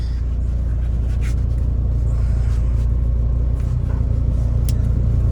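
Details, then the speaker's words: 2011 Mahindra Verito after repair (engine mount, front shocks, rear wheel bearing replaced); steady low road rumble while turning, no steering click or crack; suspension sounds normal. "ഇനി നേരത്തെ ഉണ്ടായിരുന്ന complaint, നേരത്തെ ഇങ്ങനെ ഒരു rough റോട്ടിലൊക്കെ പോകുമ്പോൾ ചെറിയ noise വന്നിട്ടുണ്ടായിരുന്നു. ഇനിയിപ്പോൾ ഉള്ള കംപ്ലൈൻറ്റ് എന്ന് പറഞ്ഞു കഴിഞ്ഞാൽ നിർത്തി ഓടിക്കുമ്പോൾ കടക്കുന്ന സൗണ്ട്. അത് ഓക്കെ തന്നെയാണ്."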